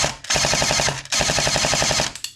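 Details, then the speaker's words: S&T M240B airsoft support gun after gearbox rebuild, 7.4 V battery, 0.28 g BBs: crisp evenly spaced bursts about a dozen shots a second with no stutter or grind; normal full-auto firing and clean feeding. "perfect and it is feeding perfectly."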